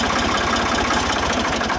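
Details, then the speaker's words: Ford 2000 tractor diesel at its first start in about 8 years, after maintenance, lubrication and clearing out debris: steady, even idle with a smooth low beat and no knocks or misses; it was shut off with the choke lever. Normal idle. "And it shut right down. Well, I'm really happy. Started good. Sounds good."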